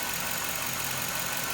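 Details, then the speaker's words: 2006 Silverado with Gen 4 5.3 V8, in a cold garage, after a dead misfire on cylinders 1 and 3 caused by spark plug anti-foulers destroying the plugs; with the anti-foulers removed and used plugs fitted: an even, steady idle with no stumbles. "threw a couple uh couple used spark plugs in there check this out unreal runs great"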